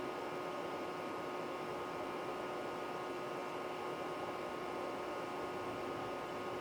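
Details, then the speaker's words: Original Macintosh II being resurrected (dead batteries, leaking capacitors, stuck floppy), somewhat cold boot: quiet constant fan whir with faint steady hum, no clicks or grinding; running smoothly. "Let's have a listen to this thing. Start to finish, running. From a somewhat cold boot, but not really."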